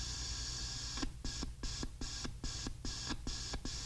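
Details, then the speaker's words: RCA CR-88 receiver, beat frequency oscillator (BFO): a high beat tone drops out and returns about eight times as the control is wiggled, suspected bad capacitor connection or solder joint. "all right so this is the bfo here so it might just be a bad connection in the capacitor or maybe even a bad solder joint on the top portion of the chassis here"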